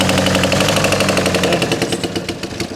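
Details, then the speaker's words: VW Caddy diesel, 490,000 miles, cranked after the ash-and-soot-blocked DPF was removed: rapid even cranking about ten beats a second, slowly fading, then it starts and idles. Hard starting caused by blocked diesel particulate filter. "that's fully blocked solid it's just full of Ash and soup it's not full of like burnt diesel or solid items so that lack of flow could have contributed to the failure of this engine"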